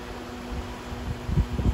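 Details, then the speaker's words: Accuflo AF 51201 muffin fan, 120VAC 29W single-speed shaded-pole 2-pole motor with sleeve bearings: fan number 2 gives a steady low hum with no rattle or wobble. It is smoother than the first fan, barely shaking; normal running. "Okay, so it runs about the same. This one's actually a bit smoother than the first one. I can barely feel it shaking."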